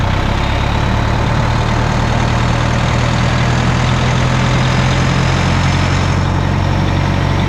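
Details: Bus 1410 "Brutus", diesel idling after swapping the 24V fan drive solenoid did nothing: deep steady idle under constant rushing fan roar that never cuts out; engine fans always on, cooling fan clutch stuck engaged.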